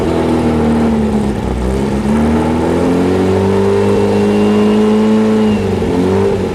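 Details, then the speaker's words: Freshly rebuilt VW 1835 bus engine on a stand, first runs: holds a raised, wandering speed and won't idle; primary idle jet was clogged solid, and even after cleaning it the idle is too lean, carburetor still to be gone through. "see if you can never get it to idle after cleaning the idle primary jet which was clogged solid I was able to bring it back down to an idle but even at that the idle is too lean"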